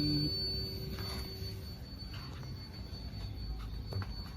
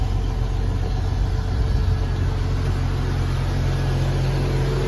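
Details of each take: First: Jeep XJ (Cherokee) at key-on, no start, ECU tested before repair: thin steady fuel pump whine runs continuously without cutting off, check light not coming up; ECU shorted. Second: Jeep XJ after ECU repair (unit no. 252, capacitors replaced): fuel pump now stops after key-on and the engine starts first try. It idles with a smooth, even, steady deep hum with no misses. Acceleration, AC and charging are all normal.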